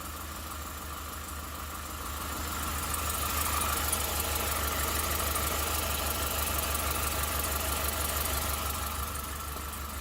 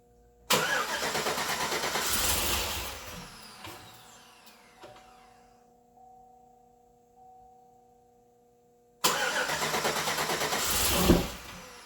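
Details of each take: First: 2008 Suburban, first start of a newly installed engine, caught after 5 or 6 more tries: steady idle with an even low rumble and a constant mid-pitch tone on top, no misses or knocks; runs fine. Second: 2008 Chevrolet Suburban with new engine on first start attempts: starter cranks, nearly catches and fades, then sharp pop; backfiring through stock throttle body with faint smoke, injector/plug wiring order questioned.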